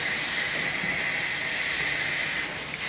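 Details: Pneumatic thermostat: constant sharp hiss of escaping air, steady and unpulsed; compressed air leaks from cracked, brittle plastic tubing, which needs replacing.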